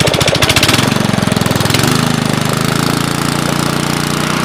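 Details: 5.5 HP Briggs & Stratton Intek single-cylinder, first start after carb cleaning at about 27°F. Steady even beat that settles smoothly with no knocks or rattles; normal running, carb working properly.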